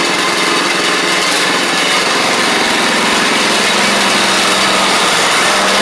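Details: Troy-Bilt Pony riding mower, first start of the replacement engine on fresh gas after the seized original was swapped out: small single-cylinder buzzes at a steady, even speed, no knocks or misses; runs smoothly, though it smoked out the garage.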